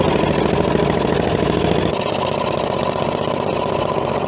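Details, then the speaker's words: CAT D8 dozer unused for decades: carbureted pony motor at wide-open throttle chugs and sags while cranking the cold diesel with stiff cold oil; diesel not lighting off, still too cold. "not lighting off like I was hoping spark plug's in the wrong spot it could be that yeah good call John ready yep I feel like we had something there for a second but not enough still a little cold definitely still a little cold that poor Pony's working that's wide open"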